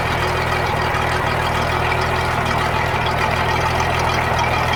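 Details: Sea Ray boat sterndrive after repair of a seized gimbal bearing that had welded to the drive input shaft and caused noise: steady, even idle with a low rumble, no grinding or knocking; drive now healthy.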